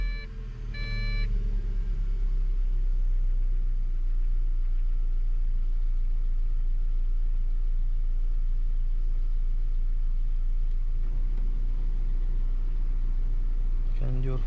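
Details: Lada 2104 (Zhiguli "four") at idle with the air conditioning on after the belt and pulleys were treated with a grease-type dressing: smooth, even idle, no chirp or squeal from the belt; the owner had fought this whistle for two years despite replacing alternator, bearings and tensioner roller.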